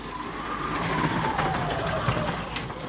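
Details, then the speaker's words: Slot car on plastic Carrera Digital track, big curve: irregular hard clunks about every third of a second over a rushing whir as the car hops through the bend; worse in one lane, cause unknown. "it gets worse depending what Lane it's in you can hear that clunk clunk clunk clunk clunk I don't know what it is"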